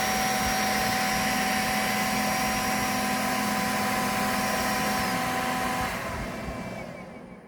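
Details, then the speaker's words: Creality K1 high-speed 3D printer with all fans running: loud steady airy roar with a couple of fixed whining tones, winding down at the end; excessive cooling fan noise. "When all the fans are working, it's noisy. And I don't just mean a little bit noisy. It sounds like a Chinook trying to take off out of a bucket."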